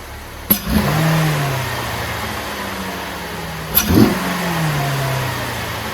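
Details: 2012-2016 Chevy Impala 3.6 LFX V6 with a new AF Dynamic cold air intake, recorded on a phone: catches cleanly twice, flares and settles into a smooth, deep idle. Louder and deeper than stock, with no misses. Healthy.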